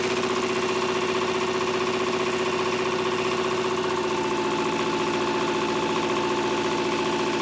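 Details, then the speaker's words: Old Shibaura diesel tractor that sat for years, just started after bleeding an injector line, smoking: throbbing, uneven, wavering idle, then it dies; owner suspects bad fuel or a fuel-supply issue. "Look at that. Look at her go. All right. Thinking that smoke's going to clear up here pretty soon, hopefully."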